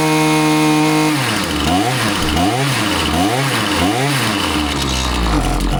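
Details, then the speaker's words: Husqvarna 525PT5S two-stroke pole saw after a carb refresh, with both mixture screws set a further quarter turn rich: revs rise and sag about four times a second when throttled, stumbling rather than clearing. It runs fine on top but bogs off idle and ignores low-speed adjustment; cause unconfirmed, possibly not the carb. "This thing clearly is not responding to my low speed adjustments. It is uh is running good on the top end, but on the bottom, you know, it might idle, but as soon as I hit the trigger, it bogs."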